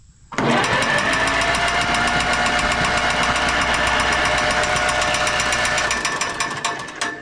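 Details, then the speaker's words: Minneapolis-Moline 4 Star tractor, previously water-stuck engine, cranking with spark plugs out: even spin with a sharp tick about four times a second from a fan blade rubbing the shroud at top. "Sounds like it's fan, huh? Eclipse, Yeah, where's it hitting? Right there. Top. What, top? Yeah. Is there a bolt sticking down or something? No, it just rubs it up."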